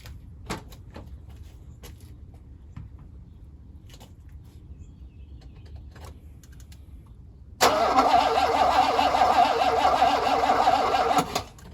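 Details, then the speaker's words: 1985 Mercedes W126 SEC with fresh gas added and booster recharged: quiet handling, then several seconds of steady starter cranking about three turns per second that never catches; cause unknown. "Well, it's not start right now, so I don't know what to do."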